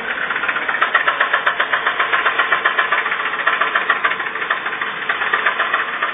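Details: Toyota RAV4 with 1AZ engine, awaiting engine replacement: sharp, fairly even deep internal knock about four times a second over the idle: engine knock.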